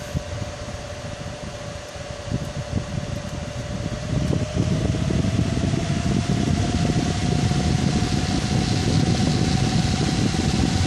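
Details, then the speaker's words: Gigabyte GTX 780 Windforce graphics card cooler at 100% fan speed: loud steady rush of air with a faint tone rising slightly as the fans spin up, then holding; normal fan noise at full speed. "alright so I hope you enjoyed this is the wind force gtx 780 at maximum fan speed still"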